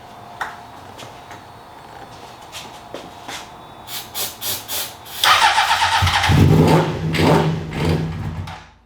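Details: 2003 Honda CBR600RR being revived: a quiet stretch, then long cranking with ragged firing bursts that never settle into running; crank-no-start traced to a failing fuel pump relay.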